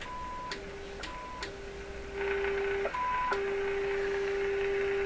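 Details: Silvertone 7054 tube radio on full power after a restricted-power check and new dial string work: a clean steady tone from the signal generator comes through with faint clicks over a quiet hiss. Normal tone reception.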